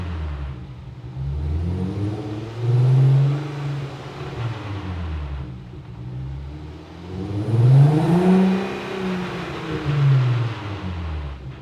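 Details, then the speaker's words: 2004 VW MK4 GTI 6-speed manual after washer fix for severe whine on deceleration in 3rd, wheels spinning; revs swell and fall twice with no coast-down whine, gearbox now sounds normal. "Okay, I don't hear it, so now let's go test drive it and see if we hear it on the road."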